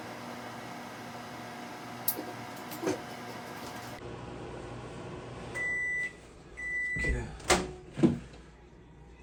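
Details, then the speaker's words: Kenmore microwave after control board reinstalled (repair for no heat and turntable not turning): steady low transformer hum, then beeps and a door clunk; turntable turns and water boils, normal operation. "so now i can hear the transformer running that gives me a good feeling that the microwave is working"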